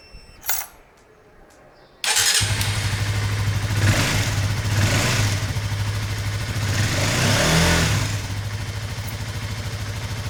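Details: Honda CBR150R motorcycle after its dead battery was replaced; it had refused to start with solenoid clicking. The small engine catches promptly, blips a few times, then settles into a steady, even idle: normal start and idle.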